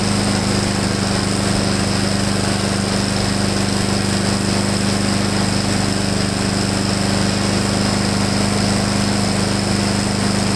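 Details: Husqvarna mower after clogged main jet cleaned, gas drained and refilled with fresh fuel plus Seafoam: loud, steady, even drone at constant pitch, no surging or misfiring where it hunted and surged before.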